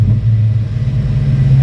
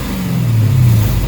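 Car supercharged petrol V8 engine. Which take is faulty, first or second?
second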